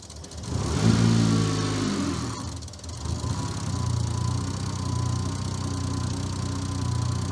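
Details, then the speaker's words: Newly built engine with fresh ECU install, idling in park then put in gear, checked with a timing light: quick blip then low, heavy lugging idle as timing retards about 30 degrees in gear; cutting a suspect wire didn't fix it. "Have a look at that. We're around 30 degrees retarded."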